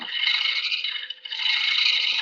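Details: Woodturning lathe hollowing a horse chestnut hollow form with a hollowing tool: harsh buzzing rattle over a steady lathe hum as the tool tip vibrates and chatters.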